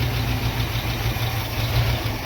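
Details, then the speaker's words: International Scout started for the first time in about 13 years on new spark plug wires: steady, even low rumble with no misses, knocks or surging; smooth, healthy idle. "Look at there, she's idling."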